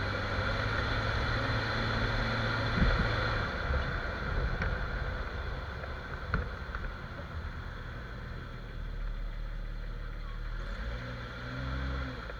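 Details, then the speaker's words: Jeep XJ driving after dry lube was sprayed on the cracked front axle shaft u-joint that had been making noise. Only a low, even engine and road hum, with no clunks, squeaks or chirps from the front. "so literally there was no noise so the issue was the cracked rubbish on the u-joint on the axle itself axle shaft so once I sprayed the try loop the actual shaft stopped making noise"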